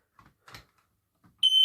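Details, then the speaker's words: EI146 smoke alarm on the landing, test button pressed: after a click, a loud steady high-pitched continuous tone starts and holds; alarm sounding normally. "hey guys we're gonna test the smoke alarm in the landing we got a ei146 so let's test it"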